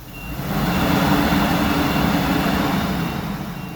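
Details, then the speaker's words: Workhorse 8.1 Vortec with non-OEM makeshift fan clutch, 88°F day, radiator block removed, coolant dropped quickly to 195: steady loud whooshing roar of the locked-up fan moving plenty of air; normal cooling fan roar. "and i'm still getting a good loud war on that fan and the temperatures drop dropped really quick"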